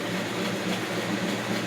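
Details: 1980 Lincoln Continental V8 idling right after starting, following replacement of the ignition coil and starter solenoid for a no-start: smooth, steady idle with an even, unbroken rumble and no misses or stumbles; it seems healthy.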